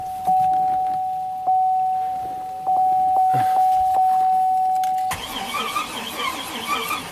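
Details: 2007 Buick Rainier, 4.2L inline-six, 175,000 miles, with a replacement engine from a 2008 Chevy Trailblazer: a steady electronic tone and sharp clicks, then rough cranking that never catches.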